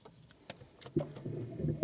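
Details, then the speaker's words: Audi A3 that failed its MOT for wipers not working: a few light clicks, then a low rough wiper motor hum with the wipers not moving; motor runs, linkage suspected but not confirmed. "Oh, that's not good, is it? I think that might be the linkage then. You can hear the motor working."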